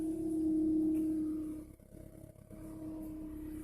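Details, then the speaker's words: 2006 Toyota Camry, 242,000 miles: loud steady droning hum over the idling petrol engine right after startup; it rises, doesn't change when turning the wheel; cause unknown to the owner. "there's a noise it makes when I start the vehicle and let's see about to start it [Music] see how it raises up and I'm unable to figure out what it is moving the wheel now no raise in volume it's there you can hear it"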